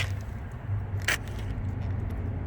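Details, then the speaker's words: 2002–2006 Nissan Altima rear door lock after swapping the faulty power lock actuator for a scrapyard part: one crisp unlock clack over a low hum, no more loud buzzing. "Works perfectly now. No more crazy buzzing. Okay, that's good news. Very good news. So at least now it's not buzzing like crazy anymore, and it sounds better."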